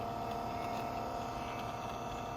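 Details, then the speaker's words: 1981–1985 Mercedes diesel cruise control actuator bench test, motor powered via its pins: steady, even whir with constant pitch, no catches; motor runs smoothly, normal. "Listen how smooth that's running."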